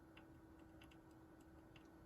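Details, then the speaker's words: AMD FX-8320 (Piledriver) test build: faint, irregular ticks and crinkles over a quiet steady hum; the AIO liquid cooler pump is failing, confirmed when the noise stopped once the pump was unplugged. "I think it's the pump. All right, well, I'm going to exit just to see. It's got to be the pump."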